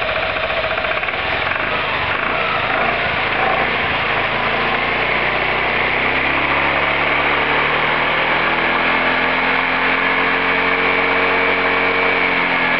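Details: Roketa MC-54-250B scooter, 1730 miles since July 2008, stalls at every stop. Revs rise and sag unevenly and the beat turns ragged under load, stumbling toward a stall. Cause: intake and exhaust valves had zero gap at TDC, later fixed by adjusting the valves.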